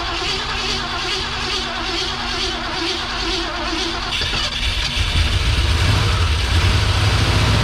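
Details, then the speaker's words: Long-abandoned 1971/72 Ford Mustang fed starting fluid: starter churns about three turns a second, engine catches briefly and rises, then fades without idling; sounds like running out of fuel, fuel pump suspected, not confirmed. "a gas could really be that simple sounds like we're running out of use yeah need that booster pack let's try it again"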